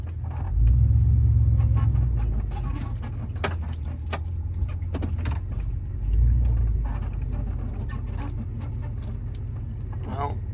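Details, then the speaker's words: Chevy Silverado big-block pickup driving: short rubbery squeaks and creaks over road rumble from deteriorated 20-some-year-old passenger-side rubber cab mount bushings, not yet replaced; driver side already done. "that's squeaking right there. I got to change the cab mounts on this side. Yeah. Okay. So, they're squeaking real bad."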